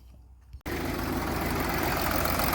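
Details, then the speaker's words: VW Touareg with P0087 fault, after ball-bearing injector test found a faulty injector: diesel fires after short crank into a very rocky, uneven idle running on five cylinders; faulty injector. "I know it's very very Rocky but obviously it's only running on five"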